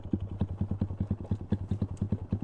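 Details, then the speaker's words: Thai 125 motorcycle checked after a trip and a week parked, still runs well: fast, even ticking about eight times a second over a small single's idle; valve clearance not adjusted, valves clatter and need adjusting. "โอเคหลักๆก็ยังวิ่งดีอยู่นะครับผมก็ถือว่ายังวิ่งดีอยู่ครับแต่ว่าก็ยังมีอาการเรื่องของวาล์วดังนะครับเพราะว่าไม่ได้ตั้งแล้วเอ้ย"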